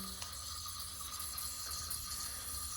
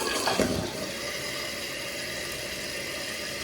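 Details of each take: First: water is leaking out, making that hissing sound. So you can try and replace the seal or just replace the whole thing. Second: Toilet after fill valve replacement and water level adjustment, which fixed a hissing: steady rush of water from flush and refill that stops cleanly, with no hiss or whistle.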